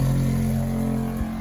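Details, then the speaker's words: Shurflo 2088 water pump after silencing with flexible inlet and outlet hoses, self-priming: loud, steady low drone at a fixed pitch, no quieter than before. Loud pump noise. "It primed itself. But is it any quieter? Well, I don't think it's any quieter."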